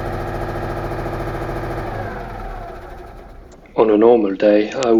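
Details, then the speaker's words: Citroën Méhari air-cooled petrol engine idling after exhaust leak fixed with new gaskets, fan off in very cold garage; steady even idle with no exhaust puffing or ticking, then voices; healthy. "we just need to let the engine run at idle for a while"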